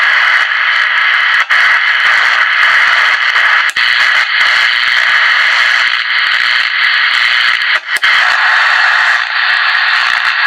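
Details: Realistic TRC 453 radio with very loud receive audio that cannot be turned down; harsh loud hiss and static at steady full level with dropouts, volume control ineffective; caused by a bad ground on the mode switch.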